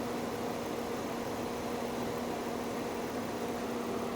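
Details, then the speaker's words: 2002 Jaguar X-Type with a 3.0-liter engine and manual transmission, idling at a salvage yard: smooth, even hum with a faint steady tone and no knocks. The engine barely moves and idles cleanly. "very quickly let's just go listen to that three liter engine because it sounds perfect from here oh yeah in a heartbeat I would drive this look at that doesn't even move"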